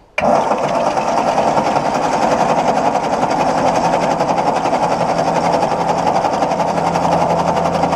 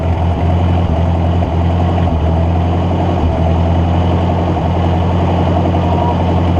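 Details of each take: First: 1953/54 Ford Golden Jubilee NAA tractor sitting over 20 years, starter spins engine at steady even chug about three to four beats a second, no grinding; healthy cranking, not firing yet; oil pressure gauge didn't move. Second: Ford NAA Golden Jubilee tractor (1953/1954) sat over 20 years, spark restored after a bad battery connection fix: low, steady idle with brief stumbles, running only on fuel poured down the intake; owner suspects clogged fuel line, carburetor then removed.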